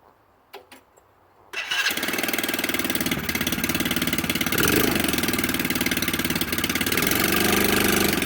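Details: Hammerhead 110cc go kart that sat almost a year, started after a battery charge, carburetor cleaning and a non-new air filter: quiet, then the single catches and settles into a quick, steady, even putter; starts and idles fine.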